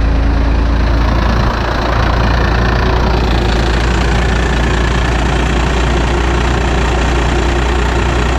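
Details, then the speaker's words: Second-gen 12-valve Cummins diesel with straight pipe, just after a preventative valve lash adjustment: deep, loud, steady rumble with even beat and no valvetrain tapping; healthy idle. "it sounds like a 12-valve"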